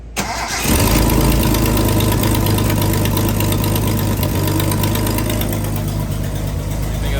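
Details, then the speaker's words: Engine with carburetors just refitted, a stuck-throttle-butterfly nail removed and dashpots filled with oil, choke fully off: loud, slightly uneven, wavering idle, no longer running away; carburetors still poorly adjusted. "it's not running away anymore anyway i don't have any choke on it it's still adjusted poorly"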